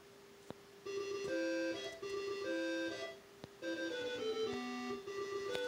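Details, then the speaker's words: CoCo computer fitted with a home-made replacement board for the SC77526P sound/joystick DAC chip: clear, steady game-music tones with no buzz or crackle while the joystick is unused; working the joystick causes interference. "sounds pretty clean it's just you know playing sound the joystick isn't being used so it sounds right"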